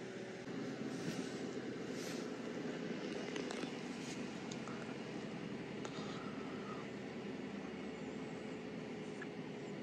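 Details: 2013 Subaru Impreza Sport idling to operating temperature after coolant crossover pipe O-ring repair: quiet steady idle, even low hum, no ticking, knocking or hissing; normal.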